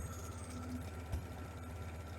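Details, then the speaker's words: 1947 Farmall H tractor after belt and hose replacement and 6-to-12-volt alternator conversion, warming up: very slow, even chuff of each firing pulse at low steady idle, no misses or knocks; healthy idle. "She's doing a beautiful job idling. It's amazing."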